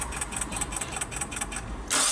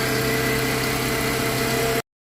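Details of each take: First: 2001 Mitsubishi Galant 4G94 after an engine swap, new parts already fitted: steady cranking at about five beats a second with no firing; crank-no-start with timing clearly off, and spark leaking from a coil onto the cover. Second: 2001 Mitsubishi Galant 4G94 after engine swap, previously crank no start from wrong cam sensor signal: steady, even idle with smooth low hum, no misfire or knocking; engine now runs.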